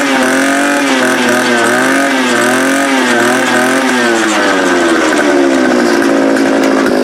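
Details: Small two-stroke fence-post auger engine starting cold after carburetor replacement and throttle linkage adjustment: a steady, even buzz, revs dipping slightly then settling smoothly; fuel delivery sounds healthy, running normally.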